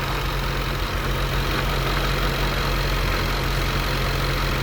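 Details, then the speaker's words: 2015 Jaguar F-Type supercharged engine, 72k miles, after hydrolock repair, no faults except power steering: steady, even low idle with smooth pulse and light supercharger hiss, no stumbles, knocks or expected misfire; engine sounds healthy. "lovely lovely I was expecting to have Miss fire to be honest M nice nice"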